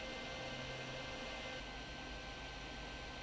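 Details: Chitu Systems FilaPartner E1 dual-zone filament dryer running with one box drying: steady, even fan rush with a faint constant whine, no rhythm or rubbing; normal fan noise, though loud compared with a Bambu Lab AMS 2 Pro dryer.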